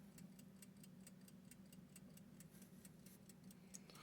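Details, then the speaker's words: Seth Thomas clock movement in an antique Recording Devices Co. time recording lock: quiet even ticking about five beats a second over a low room hum; runs normally, though occasionally stops ticking for unknown reasons. "the clock is made by a company called Seth Thomas you may be able to hear it ticking right now"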